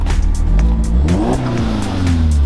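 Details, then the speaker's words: Audi S3 8L Mk1 (AMK 210) after about 2.5 years sitting, first start, a bit smoky, fuel showing empty: engine blips up and back down cleanly with no knocks or rattles, sounding perfect with a nice exhaust; normal free revving. "Sounded perfect. That exhaust like makes it, doesn't it?"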